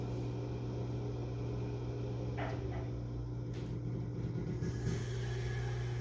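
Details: HVAC outdoor unit: steady low hum with a few scattered knocks and rattles on top, running loud, cause unclear; loud running noise.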